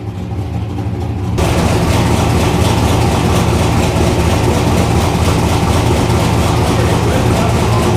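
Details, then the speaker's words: Turbo 331 cubic inch small block Ford V8 with AFR aluminum heads, on a stainless straight-pipe exhaust. Deep lumpy rumble settling to a loud, even idle. The garage makes it sound louder than it really is, and it is not too loud. Normal straight-pipe exhaust rumble. "honestly that wasn't really too bad uh the garage is obviously gonna make it sound a lot louder than it is and it really wasn't too loud"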